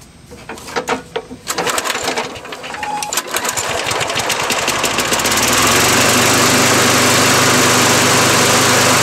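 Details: Snapper 6.5 hp lawnmower after a makeshift cable fix, cranks with a few uneven pulls, catches and settles into a steady, even high-pitched single-cylinder drone; it runs fine.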